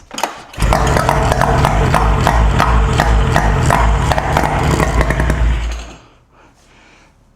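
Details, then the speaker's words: Fire-damaged 2004 Yamaha SX Venom snowmobile, first pull start after the fire: the two-stroke catches and burbles at a fast, slightly uneven idle for about five seconds, then winds down; a backfire, coolant flowing and some arcing are noted. "Man, this thing will run, boys. No joke. It runs."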